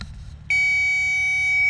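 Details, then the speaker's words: 2012 Gravely ZT 52-inch zero-turn mower, no-start diagnosis at the 4-post starter solenoid: silence, then a steady high tone from the power probe on the black solenoid wire, indicating a good ground. "okay you hear there's no tone that's doing nothing to watch this next wire that tells me we got a good ground"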